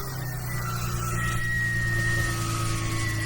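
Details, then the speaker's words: Car being repaired for resale, engine idling: thin, steady high squeak over the idle, unchanged; owner unsure of source, suspects water pump or its bearing and plans to remove it; squeak. "I want to see if that squeaking noise is actually a water pump. Yeah. From the water pump or not."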